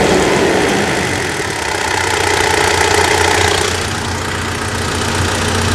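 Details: Mitsubishi Triton Savana manual, 150,000 km, serviced for first gear popping out and gearbox noise: loud but even idle, steady beat with no misfire, knock or rattle; runs smoothly.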